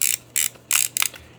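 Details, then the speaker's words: Reto Ultra Wide & Slim 22 35mm toy camera, back open showing film sprockets driving the frame counter and shutter re-arming gears: sharp shutter snap, then quick dry ratcheting clicks as film advances and re-arms shutter; healthy. "Advance the film The sprockets engage with these gears to advance the frame count and then to rearm the shutter just like that right pretty easy"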